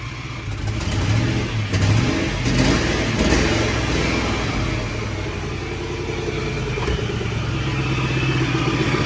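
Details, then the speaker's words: Engine revved after exhaust manifold/header work: rough clattering grind and whine over the exhaust, rising and falling with throttle; owner suspects an unhealthy supercharger but is unsure how it should sound. "all right now is that the supercharger yeah it sounds like it's a supercharger supercharger does not sound healthy at all"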